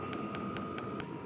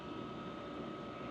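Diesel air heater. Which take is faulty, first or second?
first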